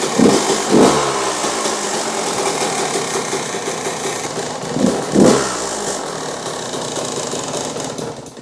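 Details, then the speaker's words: 2001 Yamaha YZ125 two-stroke, not fully warm, air fuel screw about 2 turns out: two sharp blips, then a lumpy, burbling low idle that sags and dies; loads up rich at low RPM and won't hold idle. "this thing loads up. It won't hold an idle and all that stuff."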